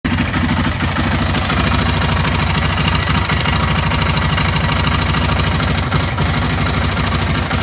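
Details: Yamaha Raptor YFM660R single-cylinder ATV idling: hard irregular knock tapping through the low thump about twice a second; engine knock of unknown cause.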